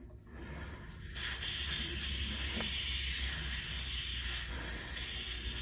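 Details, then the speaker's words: 1975 Dodge Dart air shock being pumped up, engine off: steady hiss of escaping air from the air shock line, which looks kinked and broken through. "but it appears like I have a leak I hear air coming out of my air shock oh it's coming from up here"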